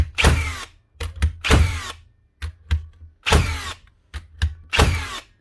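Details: Metabo HPT/Hikoki nail gun from 2021, serviced after not sinking nails: a handful of sharp, solid bangs, each followed by a quick clunk, every nail driven fully; normal firing after repair.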